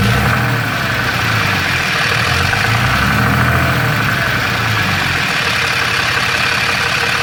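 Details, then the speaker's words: Third-gen Ram with 6.7L Cummins and Jasper transmission, fairly new torque converter, converter bolts checked tight; idling diesel with uneven metallic rattle from the bell housing; suspected cracked flex plate or torque converter, possibly normal triple-disc converter noise. "third gen ram with the six seven cummins i got some rattling noise uh it seems to be coming out of the bell housing"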